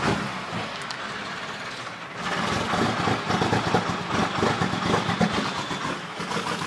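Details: Cummins 12-valve diesel restarted after running out of fuel: uneven churning crank drags on for seconds before catching ragged and rough; hard start, likely air in fuel.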